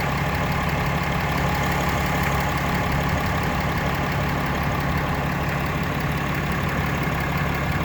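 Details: Brand-new 2018 6.7 Cummins diesel at idle: steady idle with uneven light knocking and rattle ticking and no clear rhythm. Random knock or ping noise, source not pinned down.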